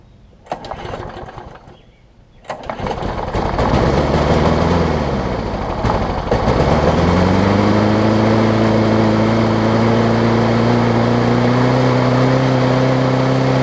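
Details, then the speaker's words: John Deere JS63C mower, first start with fresh gas, before repair: fires after a couple of pulls, surges up and down, then settles into a fast, high-pitched, rough run; it later needed a new flywheel key. "it did start up so learn a little bit rough it might need carburetor cleaner or it might simply just need to be run"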